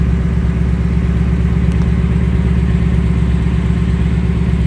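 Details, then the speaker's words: 2018-2019 Ford Mustang, just back from a Ford dealer oil change, checked for the previously instant engine tick; even, throaty idle pulsing about three beats a second with no tapping, valvetrain quiet, no ticks, normal idle. "the car sounds really good no ticks so far"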